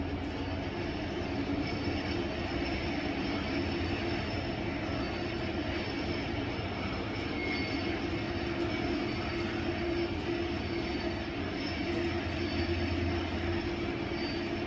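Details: Kone high-rise elevator, JW Marriott Indianapolis, riding inside the car: a steady high-pitched squeal rides over a constant rolling hum the whole trip; the counterweight is suspected, or else something on the car; unconfirmed.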